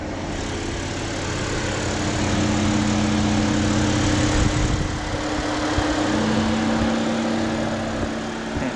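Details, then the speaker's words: BMW 328xi (E90) with freshly recharged AC blowing down to the 40s°F on a hot day: loud steady rushing-air roar with a low droning hum; the owner suspects the condenser fan, or that it has not run in a few days. "For some reason, it seems to be making a lot of noise. I don't know if that's the condenser, or maybe it's because it hasn't run in a few days."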